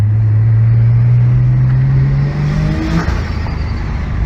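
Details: 1998 Nissan Skyline R34 25GT, RB25DE NEO converted to turbo (OP6 turbo, Nistune ECU, 3-inch exhaust), street driving with heel-toe; oil pressure still above 4. Smooth, even note climbing cleanly under throttle then easing off, no knocks or rattles; healthy acceleration.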